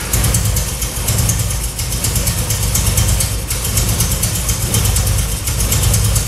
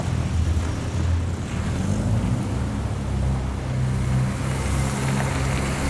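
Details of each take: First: 1966 Triumph Spitfire MK2 four-cylinder on adjusted carbs, started to test the ignition: rough, lumpy idle with dropped beats, still misfiring; owner then rebuilt the carbs, but the cause was two spark plug leads swapped. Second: 1966 Triumph Spitfire MK2 after a long-standing misfire was fixed; it had been running on only two cylinders. A steady, even low engine note with no stumbles; now smooth on all four cylinders, though the carbs are still untuned.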